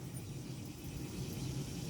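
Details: 1996 Dodge Ram 1500 5.9 V8 idling warm after a short drive: low slightly lumpy rumble, one cylinder misfiring, traced by exhaust-manifold test to a faulty spark plug wire.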